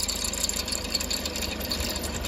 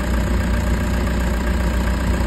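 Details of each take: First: Toyota HiAce diesel idling with a fine, fast high-pitched ticking and hiss over the engine; worn alternator brushes and idler bearing noise. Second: Toyota HiAce diesel after new idler bearings to cure engine noise: steady, even idle with a deep low rumble, no ticking, squeal or bearing noise; noise gone, smooth normal idle.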